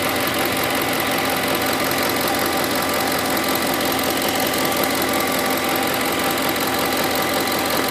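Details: 2008 Ford F-150 5.4 V8 idling steadily with a fast, light ticking over the engine noise; started about a week ago, owner cannot identify the cause.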